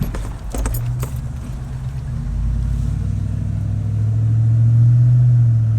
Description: 2012 F250 4x4 6.2L making an intermittent whining noise from the passenger side front end.